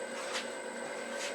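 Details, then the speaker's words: Buck Tool 1 hp variable speed grinder with a freshly mounted CBN wheel, not yet on its base: steady high whine with a clean tone and no wobble or rumble; the wheel is aligned and there is no vibration. Normal running. "So no vibration, everything runs smooth."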